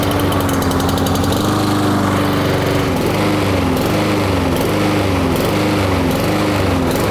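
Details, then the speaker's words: Honda-engined lawn mower revving up and down in a steady cycle, surging/hunting at governed speed from lack of fuel, a carburetor issue. "so you just heard that annoying sound of the engine revving up and down what's causing that is a lack of fuel to the engine so it's a carburetor issue"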